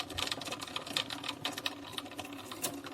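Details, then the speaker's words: Aquarium canister filter with flow suddenly reduced: quiet, uneven "gu-gu-gu" clicking and rattling, impeller only twitching instead of spinning; opened, the magnet on the impeller shaft was broken, later repaired with glue. "我这边一直查，奇怪，为什么水流会突然间变小了？然后整个圆筒就开始出现咕咕咕咕咕的声音。"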